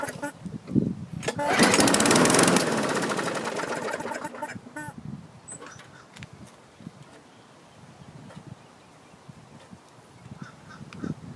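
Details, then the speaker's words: 2012 Murray mower, 500 series 158cc engine, fresh fuel, primer bulb working: catches with a brief strong burst for about two seconds, then sputters and dies; good compression, carb likely needs cleaning and a new diaphragm. "that'll need a carb clean probably a new diaphragm did fire off good compression"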